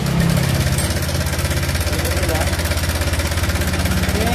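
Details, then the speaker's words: Honda Vario scooter idling: coarse, rapid clatter from the middle of the engine, about three beats a second; owner wanted piston rod replaced, but worn cam chain tensioner suspected; cam chain tensioner rattle. "Kenapa Mas Ini varionya Masnya kasar sekali Coba kita dengarkan suaranya"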